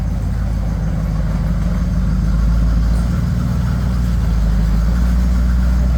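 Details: Bombardier tracked snow vehicle, first run after six months idle and shop repairs: engine idles at 800-900 rpm with a deep, steady low rumble, even beat, no knocks, misses or rattles; no leaks, sounds good.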